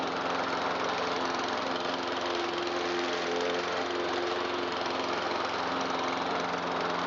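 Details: 2009 Troy-Bilt XP 12Ai839G211 mower, Briggs 111P02-0693-F1 engine, 4-speed select transmission, discarded after long storage, revived: holds a smooth, even drone at steady speed with no misses, surging or knocking; healthy normal running.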